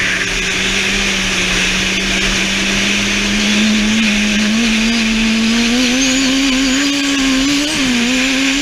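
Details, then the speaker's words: Twincharged engine at full throttle: a rising blower whine with stutters and popping as boost overshoots to about 20 and hits boost cut. Boost runs away even on the wastegate spring at zero duty cycle; the popping is suspected to be boost cut. "i think i'd hit 20 once or twice it was hitting boost cut like crazy when you hear that popping"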